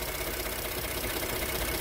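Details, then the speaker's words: 2013 Ford F-150 3.5 EcoBoost FX4 turbo V6, salvage truck, just started, oil likely still settled: steady even idle, low smooth drone, no knocking or misses; idling normally, owner earlier suspected a cam phaser sound. "start was a lot better I think the oil was still at the bottom I probably should have cranked it a few more times it's doing fine now"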